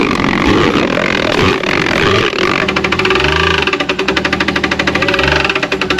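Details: Jeep XJ off-road build during competition: loud engine under strain with fast, sharp, regular knocking rising with revs; suspected rod hitting the oil pan, a bottom-end failure.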